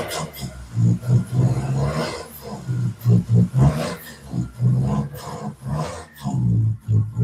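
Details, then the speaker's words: Nissan Altima running during coolant drain-and-fill flush: lumpy, uneven idle with deep thumps about four per second in irregular clusters, sounding like a bad misfire; air bubbles seen pushing through radiator hose. Cause unknown. "It sounds like a really bad misfire,"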